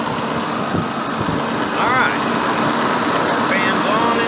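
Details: 2000 BMW E38 740iL M62TU after replacing the drive-belt and A/C-belt idler pulleys with worn bearings, idling with the A/C on; steady, even hum with no squeal, chirp or rattle from the belts or pulleys. Normal idle.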